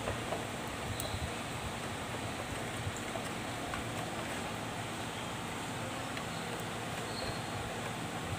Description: Blower Aircond Getah Dah Haus || Blower Pusing Jadi Bergegar/Bising